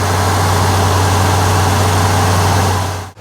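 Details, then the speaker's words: 1968 Ford F100 360ci V8 after replacing cracked spark plugs with Autolite 45s: smooth even low idle with steady pulse, earlier ticking/spark-jumping sound from the boot gone; fires right up, idles cleanly. "And we're not getting that sound anymore. So you know, and the fact that she fires right up is also kind of exciting."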